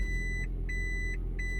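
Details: 2008 Toyota Prius (Gen 2) in reverse, heard inside the cabin: a steady high beep repeating about 1.4 times a second over a low idle hum. This is the normal reverse warning alert.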